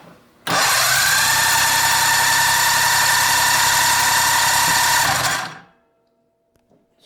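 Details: Cranked with Yesper Armor jump starter: five seconds of fast, even whirring cranking holding steady speed without bogging, then stops; strong normal cranking.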